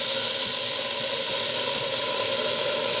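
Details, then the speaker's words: RC steam boiler stored 20+ years in a cupboard, restarted with a doubled regulator spring and a Teflon-wrapped gas regulator olive; the steam valve is open with a steady, sharp, unbroken hiss of escaping steam, a normal venting sound. "et vous l'entendez siffler un bon départ"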